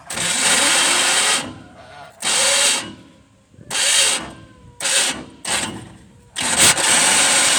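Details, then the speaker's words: 1971 Chevrolet pickup with a swapped-in 454 big block, wiring harness melted and battery contact poor: harsh gritty grinding in short bursts at each key turn, persisting with zero, one or two shims; starter not meshing, cause unconfirmed. "That starter, I've took all the shims out. I put 1 shim in, I put 2 shims in. It still sounds like it's trying to grind itself to death."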